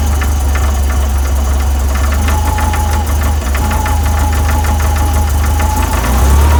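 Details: VW 1641cc air-cooled engine, about 15,000 miles, standard crank and cam, twin DRLA carbs, knocking when cold; deep rumble at cold idle with uneven knock, caused by play in the aftermarket crank pulley.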